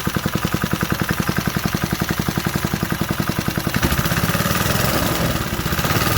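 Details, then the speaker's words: 1968 Briggs & Stratton 2.25 hp single, first start after sitting decades, bench-mounted with fresh gas: crisp regular popping then softer steady beat, idling cleanly on its own. "She's idling on her own."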